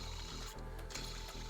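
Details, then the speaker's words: BMW N52 drive belt tensioner/idler pulley, removed, badly corroded and never changed, spun by hand: rough grinding with a fast gritty rattle from a worn pulley bearing, unlike the silent new one. "it's not good at all you can hear it grinding right there"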